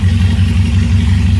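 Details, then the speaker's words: 1970 Opel GT restored engine on its first full run, stable idle at about 750 RPM, timing not yet set, Pertronix electronic ignition conversion planned: deep, steady idle with an even low pulse, no knocks or misses; smooth and stable after a rev. "Hear how it smooths out. Nice clean back off. Nice stable idle."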